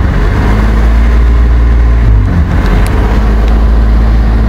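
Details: BMW E34 520i idling far too high, its speed swelling and sagging. Plugs, fluids, filters and ECU were already replaced, and there is hissing under the inlet manifold. A vacuum leak was suspected, but the intake air temperature sensor reads -36°C, likely the cause.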